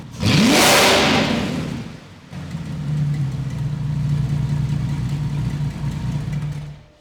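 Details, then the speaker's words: VW Phaeton W12 with the secondary catalytic converters removed (decatted; no lambda sensors in them): a start flares into a roaring rev, then settles into a deep, booming, far-too-loud idle. "That is too loud. Oh my God, it sounds like a dinosaur is in here."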